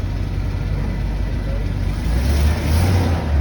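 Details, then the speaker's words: 2009 Forest River Starcraft Allstar bus on Chevrolet C5500 chassis, 48,111 miles, starts without jump box: deep smooth engine rumble rising evenly as it pulls away, no knocks or rattles; accelerates cleanly, sounds good. "Okay, got a little speed to it. She sounds good."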